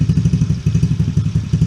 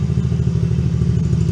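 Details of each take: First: Coolster 110cc Chinese ATV just fitted with a new replacement carburetor, started on a little choke: single-cylinder thumps fast and steady, about four pulses a second; idle set slightly high, turned down with idle screw. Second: Coolster 110cc Chinese youth ATV after carburetor, air filter and fuel filter replacement; it previously died once warm with no throttle response. Now runs with an even, steady low putter, holds idle, no stumbling; healthy.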